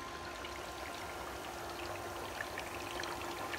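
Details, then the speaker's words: 10,000 W electrolyzer cell, about 3 gallons water with food-grade potassium hydroxide, not yet full electrolyte: steady fizzing, bubbling like a kettle with faint pump hum; producing heavy gas, normal. "we are producing an enormous amount of gas and we're not all the way there yet"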